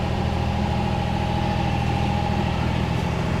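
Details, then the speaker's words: 1969 Mercedes-Benz 280SE (W108) during restoration, after first drive: even, quick idle with a steady drone sitting way too high; owner plans timing work now that an RPM gauge is fitted; high idle still to be fixed. "And the idle, I got to do some timing work on the car since I've got my RPM gauge now cuz she's idling way high."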